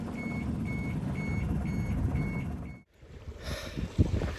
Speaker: If you can hear that beeping, it's the collision alert on the AIS. Drives you nuts when you're in a shippy